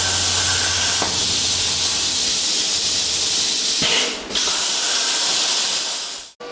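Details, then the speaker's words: Hypertherm Powermax 45XP plasma cutter, over 5 years of daily use, after a new fan for error 3-10-0 cutouts after 10–15 minutes; fan at near full speed on a 33°C humid day: steady, smooth, airy rush with no rattle or rub. "So this is the sound of the fan running. This is pretty much full bore. It's 33 degrees today with a very high humidity, so it often does this, but that fan sounds a lot better than the old one did."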